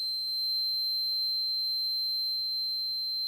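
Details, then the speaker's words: Vintage laptop running Windows 98: single shrill high-pitched tone held unbroken, alarm stuck on continuously even after lowering volume; sound card problem suspected. "Sono diventato sordo. Ancora che fischia. Com'è possibile? Secondo me ha problemi la scheda audio."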